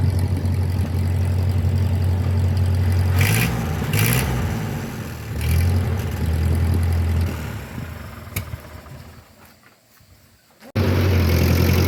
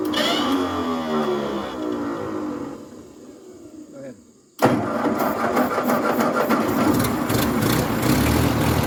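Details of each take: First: 1950 Ford 8N tractor, four-cylinder, 12-volt conversion, after fitting a new carburetor because the old one started and died as if starving for fuel: steady even idle with clean revs, a brief drop-out, then smooth running; now runs well. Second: 1950s Ford 8N tractor (converted to 12 volt, supposedly new carb, gravity-fed temporary fuel supply) catches, runs unevenly a few seconds, fades and dies, then fires again; starts then stalls, owners suspect fuel issue though carb looks clean.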